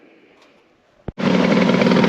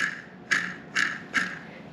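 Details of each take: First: 1970 Ski-Doo Olympic two-stroke snowmobile after new front and rear drive sprockets, bearings and seals, chain case refilled with 10 oz oil, run to check track alignment: catches and settles into a steady, buzzy idle with no knocks or misses; normal idle. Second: 1970 Ski-Doo Olympic drive shaft bearing removed during sprocket and bearing replacement, spun by hand: three gritty, rasping bursts, rough worn bearing; chain case side bearing sounds all right.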